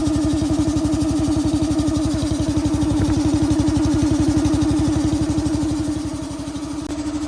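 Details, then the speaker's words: Boxer Jocks robot boxing machine, dormant over a year, small single-cylinder engine pull-started on old gas, electric-start battery dead: steady fast even idle while warming up, no misses or knocks; sounds healthy. "I'm not sure, but the pull start worked, and we're going to let it warm up for a little while, and then we'll check the airline."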